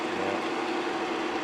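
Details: K&T plain No. 4 horizontal mill at high range, 466; quiet even hum, steady mid tone, no knocking, rubbing or grinding — motor and single-belt clutch drive running smoothly, sounds good.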